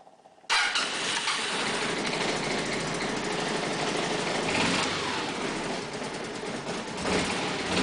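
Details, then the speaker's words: MC54-250B scooter, Yamaha clone engine, about 38°F morning cold start after replacing vacuum fuel pump with electric pump: starter whirs briefly, engine fires at once and settles into smooth steady idle; normal cold start, fix confirmed. "I would say that's pretty good confirmation that we fixed the problem you"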